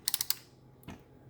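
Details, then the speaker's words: Kontronik Pyro 750-50 brushless motor turned by hand in either direction right after a flight while hot gives four sharp, dry clicks then a softer one; clicking only happens once the motor is hot, cause unknown. "so the problem I have is right after a flight or right after the engine runs my pyro gives me this weird clicking noise doesn't matter which direction I go"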